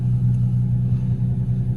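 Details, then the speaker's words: Toyota SC300 with broken exhaust, driving at about 1,000 rpm: deep, loud, throbbing unmuffled hot-rod rumble from the broken exhaust. "It is so loud, bro. We're at 1K right now. It sounds like a hot rod, man."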